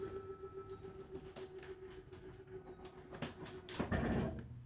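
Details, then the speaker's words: RV slide-out room being retracted: steady motor hum, then clicking and a ratcheting burst once fully seated, which is normal and signals to release the button; normal slide-out ratcheting at full retraction. "And once it's fully seated, you will hear like a ratcheting clicking type of sound. That's totally normal."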